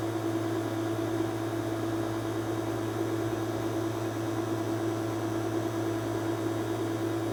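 A steady, even hiss and low hum with no change in pitch, like air being sucked through a vacuum leak. Cause suspected, not confirmed.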